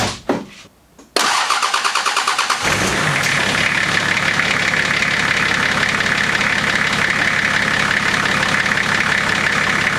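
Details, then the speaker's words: Nissan GQ Patrol diesel started after battery charging: cranks briefly, fires and settles into a steady, even idle with smooth clatter; the earlier engine or injector knock is gone. "what it sounds like now that engine knock injector knot whatever it is gone"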